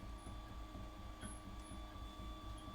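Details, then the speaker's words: FolgerTech FT-6 3D printer during its first print after firmware setup: short high chirps recur about every half second over a faint motor hum; squeak during printing, possibly a squeaking axis or bearing, cause not confirmed. "oh wait that squeaking is pretty significant"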